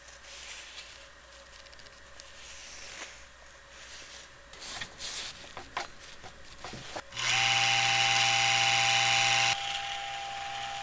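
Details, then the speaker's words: 1980s Black & Decker heater motor converted to a fan on a light dimmer: spins up to a steady high whine with a rising tone; owner thinks the motor needs oiling again. "a whiny motor sounds like I need to oil that motor again"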